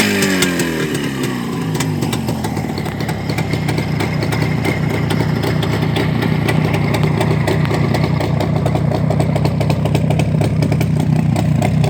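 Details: Black ČZ two-stroke motorcycle after engine repair: after a short blip it settles into a steady, crackly idle that holds even without stalling or missing; runs healthy.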